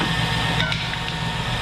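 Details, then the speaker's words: 2005 Cadillac Escalade LQ9 V8, 178,000 miles, idling just after start, heard from outside: very quiet, steady low hum with no lifter tick or LS tick; exhaust manifolds appear previously repaired with replacement bolts. Healthy idle. "very very quiet uh looks like the manifolds may have already been done on this but no lifter tick no no ls tick either"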